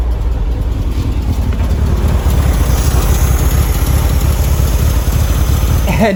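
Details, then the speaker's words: 1973 VW Beetle air-cooled flat-four, first start after over 10 years sitting, with fresh fuel, new battery and starter hotwired; catches and settles into steady even deep throb with no knocks or misses, normal running. "it starts what on Earth these cars are in insanely special I can't believe how easy that was considering the fact that this car hasn't run in years great news we've got a solid engine and listen to that sound it sounds amazing"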